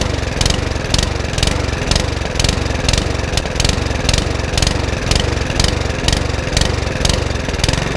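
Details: Mountfield HP164 lawnmower that keeps cutting out: the engine surges up and down about twice a second and never settles; hunting at idle, with a fuel or carburettor problem suspected.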